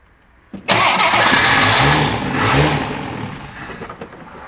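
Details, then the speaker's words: 1963 Rambler Classic 660 after long storage; quick cranking catches into a ragged idle that sags when throttle released; suspected problem in carburetor idle circuit. "out when we let off but it runs so that's telling me there's probably maybe something in the idle surface of that carburetor"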